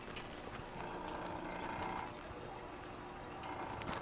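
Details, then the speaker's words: General Electric CK26 Monitor Top refrigerator, restored 20 years ago and now not working: running while SO2 is evacuated from the compressor dome via the float chamber discharge to a disposal hose; soft gurgling, bubbling hiss of SO2 boiling out of the oil. "coming from the discharge on top of the float chamber and going out to a disposal hose. So it's evacuating the gas from the compressor dome. You hear the SO2 boiling, it's mixed with the oil."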